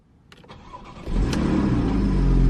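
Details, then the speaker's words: Porsche 981 Boxster with stock exhaust, relatively cold start after replacing the oil pan with a billet deep-sump pan: brief crank, catches cleanly into a smooth rising fast idle, no knocks or rattles; healthy start. "yep starts right up of course the stock exhaust it doesn't sound the best it doesn't have like some ferocious startup"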